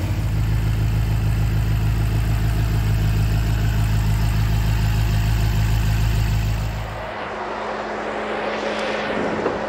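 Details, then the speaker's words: 2018 BMW X6 M V8 after head repair with valve lapping for misfires on cylinders 5–8 and low compression; even steady idle with regular beat, no knocks or misses; may be slightly rough until run-in; normal idle. "자 수리가 다 마무리됐고 조립하고 엔진 러는 지금 굉장히 얌전한 상태고"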